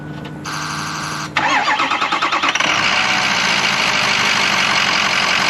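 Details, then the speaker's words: Hydrolocked 2007 Ford 6.0 Powerstroke diesel revived, restart after shutdown to check air is bled from fuel and oil systems: brief chime, about a second of quick cranking, then fires and settles straight into steady, even idle; healthy start. "So what I'm going to do now is we're going to shut it off and see how easily it starts up, see if we got all the air out. Here's a restart."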